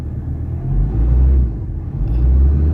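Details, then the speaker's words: Ford Ranger 3.2 with low power and no check engine light, battery weak: deep rumbling idle that surges and sags about every second with heavy shaking through the whole vehicle; rough idle, cause not yet known. "Ang lakas nginig ko ah buong makina, buong unit nanginginig. So yun ang main problem dito. Tsaka hindi normal yung ah tawag diyan ng andar ng makina."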